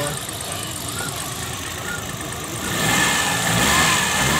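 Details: Suzuki Prince small petrol engine, brought in with two cylinders misfiring and power loss, after head refit, gasket, rail and injector cleaning: idles smoothly and evenly with no stumble or missed beats.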